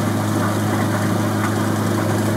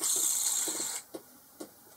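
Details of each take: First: Boxford lathe cabinet drive unit after replacing pulley spindle bearings and drive belt, belt not yet worn in, midway speed: smooth, even low hum with no knock, whine or rumble; runs healthy. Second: Boxford lathe drive unit bearing, removed and spun by hand: a dry, gritty rasp that dies within a second. The grease seems to have escaped, so new bearings are needed.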